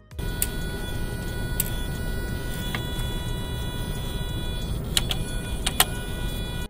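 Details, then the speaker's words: Throttle body relearn after disconnecting the battery for 2 minutes, ignition on, engine off, heard from the front of the car: a soft steady buzz with a thin high whine that stops after about 3–5 minutes, normal. "The buzzing means that the throttle is being reprogrammed and is learning its position. This sound should stop after about 3 to 5 minutes."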